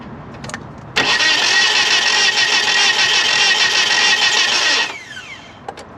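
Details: 1997 Nissan Altima, crank no start, battery strong, timing chain tight, heavy sludge: even cranking about three and a half beats a second for four seconds, never catches; ignition fault, ended up needing new distributor, spark plugs and wires.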